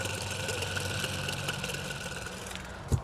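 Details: 10-ton (ZF120) 2021 commercial package AC unit, condenser fan motor failed after four years: removed motor hand-spun gives a rough, gritty whir with a thin ringing whine that fades as it slows; worn fan motor bearings, motor replaced.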